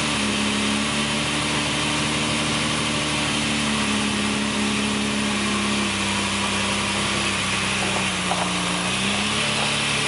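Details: 1965 Ferrari 330 GT 2+2, three-carburettor V12, just started after fuel pump primed the carbs: steady even idle, smooth constant hum, no misses or knocks; healthy.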